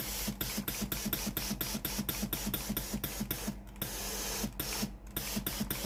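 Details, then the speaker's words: Philips PSG8160 steam iron, after repair of a failed heating element/boiler that gave no steam: rapid regular pump clicks about three a second under a steady steam hiss; steam now comes out normally. "Nếu nồi hơi nóng, hơi nước sẽ thoát ra từ phía này. Hệ thống nồi hơi đã được kiểm tra và đang hoạt động bình thường."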